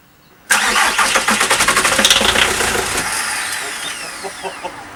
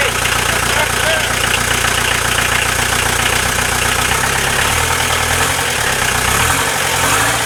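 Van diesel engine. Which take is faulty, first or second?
first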